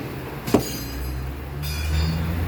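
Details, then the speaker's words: Citroën DS5 after front shock absorber replacement (Kayaba) riding a speed bump: one sharp snap over low road rumble on each rise and fall, from the shock tab catching the mudguard. "Sempre no movimento de subida e descida ele vem e faz um pequeno estralo, tá? Sobe, desce, passou na lombada, ele estrala."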